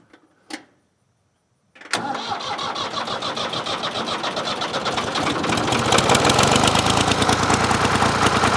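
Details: Ford 4000 3-cylinder diesel tractor with front injector misfiring, before injector replacement: catches after cranking and runs with an uneven, lumpy chuff and skipped beat on two cylinders; diesel misfire, dead cylinder.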